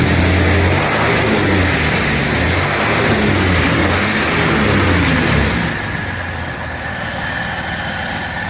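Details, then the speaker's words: 1948 Dodge Custom Sedan flathead six with Fish carburetor and new baffled "shotgun" dual exhaust with silencers: brief rev settles to a low, even rumble, earlier exhaust tick at idle now gone; normal idle. "horn marks sounds pretty good got a little [Music] Rumble definitely took that little tick away at the exhaust pad when it was idling"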